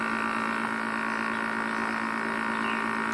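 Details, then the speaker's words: Air conditioner test unit whose normally very quiet compressor now runs loud: a steady strained electrical hum with no fan whoosh. The condenser fan is stopped, so hot air isn't vented from the coil and the compressor overheats toward tripping. "e aí um barulhão dele como é que tá o que é que ele vai desarmar e superaquecendo comédia da super aquecida e não tá sendo ventilação para soltar esse ar quente da colmeia"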